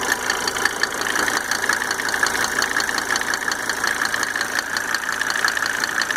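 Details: Mercedes 300D W124 2.5 L diesel idling after installing five newly rebuilt injectors with Monark nozzles: crisp, slightly uneven ticking with a faint whistle behind it; cause undetermined.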